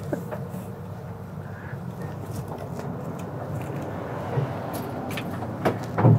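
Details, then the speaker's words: A 1967 Chevy C10 that broke down at a dragstrip gives an uneven, loping low rumble with a few clunks, near stalling. It idles fine until the gas pedal is touched, then dies, though it ran great to the track. "It's really unhappy. Well, it ran good for a minute. Well, Yeah. actually about 10 seconds. Yeah, that's the weird thing. You fire it up and it idles just fine until the moment you touch the gas pedal, and then it just says no."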